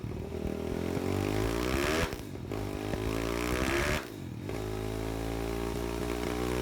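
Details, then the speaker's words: Zongshen 190 motorcycle engine on dyno, dropped to 4000 rpm then full throttle: revs rise and flare, sag in two surges, road speed not keeping up; clutch slipping under load, transmission gearing far too short loading the engine. "Donc là on voit l'accélération que la moto elle part, mais on entend clairement que la moto elle patine comme juste avant."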